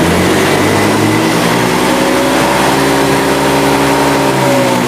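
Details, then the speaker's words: Honda Scoopy scooter that stumbles and will not pick up on a snapped throttle now climbs smoothly when the throttle is rolled on slowly. Possible causes: TPS sensor error, corroded plug cap or shorted spark plug. "Nah sekarang Kita tes dulu nyalain dulu nah ini kalau polisi diurut dia mau nih bangku kalau kita urut-urut begini dia mau ke"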